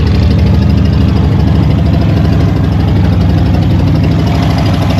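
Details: Old Ford truck V8 catching and running on its own at fast idle after blocked gas line replaced with rubber line and filter; fuel leak noted; steady low rumble, firing evenly, no obvious misses.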